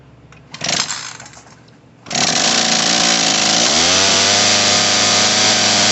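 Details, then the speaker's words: Craftsman 18in 40cc chainsaw (model 358.350810) just fitted with new HIPA carburetor and fuel line kit, started off choke after priming; rough buzzing run, pitch sags and wavers; bogging, carb needs slight adjustment. "trigger all right so you're hearing it bogged out bogging out that means it needs to be a adjusted slightly"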